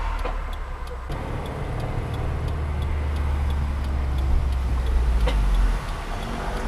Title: Brake click clunk sound